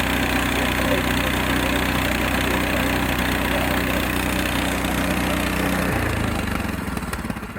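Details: Frontier OS18 sawmill small single-cylinder engine after a blade change, cold start on choke: idles smoothly and evenly, then winds down and stops; sounds healthy.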